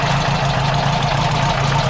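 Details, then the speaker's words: VW Type 4 air-cooled engine with IDF carbs, reinstalled and started in neutral: oil and generator lights went out and there are no oil filter leaks. Smooth, even low thrum at idle with no ticks or misses. "No leaks whatsoever. Engine sounds great. Perfect."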